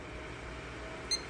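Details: PC with an RTX 2080 Super that posts but gives no video after repeated power-button resets. Steady low room hum, then one short high POST beep near the end. No-video cause unconfirmed.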